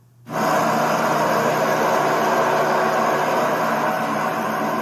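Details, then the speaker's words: Nissan SR20DET in a drift S14, after rod bearing replacement and after bleeding noisy lifters: steady, even idle with no ticking or knocking, purring like a kitten. "yeah, purring like a kitten."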